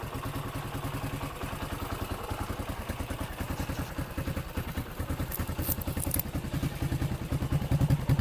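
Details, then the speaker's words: Yamaha XT500 single at stationary idle and revs on a stainless replica exhaust, said to lack the original internal piping. A tinny, sardine-can rattle rides each thump; cause suspected, not confirmed. "So this is stationary idle. As you can hear, it sounds like a tin of sardines. It's got a rattle."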